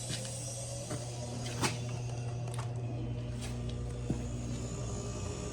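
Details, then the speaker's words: Older Maytag Performa PSD267LHES refrigerator after replacing locked-up compressor, new relay and recharge: quiet, steady low hum with a few faint clicks, normal compressor running. "That's what it's supposed to sound like. Yeah, buddy."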